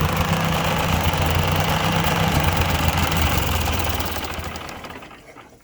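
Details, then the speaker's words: 1957 Ford 841 tractor with a new Chinese replacement carburetor: steady low chugging for about four seconds, then it dies; fuel starvation, as the tank lacks pressure and only feeds from a corner of the tank. "I don't know why it cut off. Let's see if there's some fuel in here."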